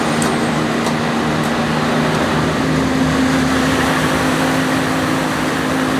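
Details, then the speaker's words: Generator with a 1106 diesel engine, before injection pump droop adjustment, with unstable frequency and the engine visibly bumping. A drone that never settles: pitch wanders, then steps up as the governor surges; the engine is hunting. "now as you can see there is having a lot of luck fashions and also it's having the engine uh hunting so you can see the engine is like bumping each"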